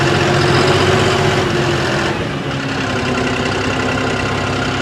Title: Brand new John Deere Engine knock above 1500rpm 5060e with 27 hours #johndeere